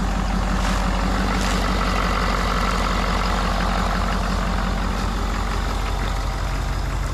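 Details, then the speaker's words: 1971 Ford Bumpside crew cab diesel idling: loud, raw, rapid chuffing from an exhaust leak where the downpipe is disconnected, heard near the downpipe. "it's got a little bit of an exhaust leak so it's not too loud back here [Music] but you can kind of hear it over here right where the downpipe is it's disconnected"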